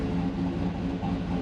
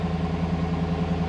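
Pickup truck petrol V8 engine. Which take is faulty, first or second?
first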